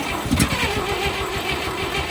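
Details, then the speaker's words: 1958 Chevy Apache truck engine, sat for decades, in neutral with prime dumped into the carb: starter cranks, then rough, uneven firing catches briefly and dies; it wants to start on carburetor prime. An open oil line leaks. "Ooh. Ooh, she wants to start. Let's go. That's promising."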